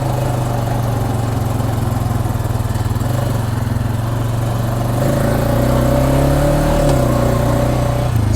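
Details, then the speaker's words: Honda ATV driven with its transmission knocking and clicking on each acceleration, giving a slight jerk on uneven terrain. A low chugging engine note picks up around five seconds; the knock is buried in engine drone. Cause unconfirmed. "every time you accelerate that acceleration it will kind of knock knock so sometimes if you're on a weird kind of terrain it can actually knock and you can kind of feel a little bit of a jerk"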